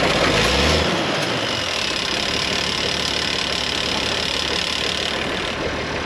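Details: IH 4166 diesel tractor sitting since about 2015, started after priming the injection pump: even, steady idle at about four beats per second with no knocks or misses, rain hiss behind; running healthy.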